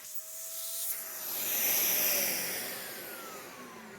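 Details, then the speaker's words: Nearly new vacuum, essentially an Animal 1, with a clean filter: a whistling motor tone sliding down over loud rushing air. The owner says the motor sounds really bad, cause unknown. "so the motor on this sounds really bad I don't know why"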